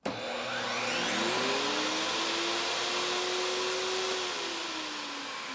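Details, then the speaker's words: AFERIY P280 portable power station starting a 12 A vacuum and a 15 A table saw at once (30.75 A inrush): the vacuum whine climbs slowly and unevenly, then sags. The inverter shows a delayed start and heavy voltage drop under the combined load. "Okay, you could hear quite a delay there and a lot of voltage drop, but it did power up the vacuum and the table saw at the same time."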